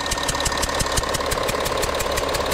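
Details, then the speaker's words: 2012 Audi Q7 diesel, cold-morning start, at idle: rhythmic puffing hiss about six times a second from the engine top; owner suspects a leaking copper injector seal on one side, with diesel smell. "see that's how is the heating noise the air leaking form one of the injector"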